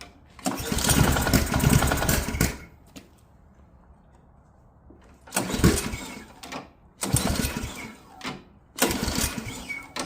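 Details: Ariens Professional 21 snowblower, Ariens AX 208 engine, 3.6 hours, sat years with bad gas: with gas poured down the throat it fires, runs a second or two, dies, catches again in short bursts; fuel starvation.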